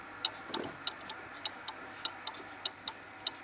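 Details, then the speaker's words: Pendulum clock being put in beat by shifting it: ticks come in uneven pairs, short gap then long gap, about a hundred per minute; moved too far, now completely out of beat. "No, completely out of beat now."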